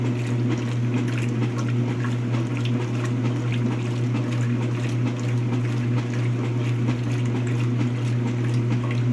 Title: Speed queen strange sound. Bad transmission?